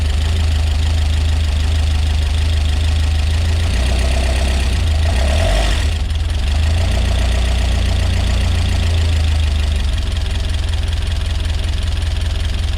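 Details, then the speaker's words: Peugeot 205 GTi Mi16 rebuilt engine on its first start: deep, steady idle with a loud uneven top-end clatter of about two to three taps a second, not clearing with gentle revs despite plenty of oil; tappet noise suspected, cause unknown. "Wow, really tappy that. That noise at all. Okay, that's really loud, isn't it? Switch it off. Right, yeah, fucking hell, really noisy in the top end."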